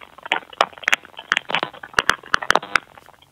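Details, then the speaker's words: Wyze Video Doorbell live feed audio with lapel mic held near it: irregular sharp clicks, a few per second, over a quiet thin feed; clicking glitch persists despite a firmware update said to address it. "you kind of hear these weird clicking sounds we're just going to turn that down and supposedly in a firmware update wyze addressed that but in my case i still get that weird sound"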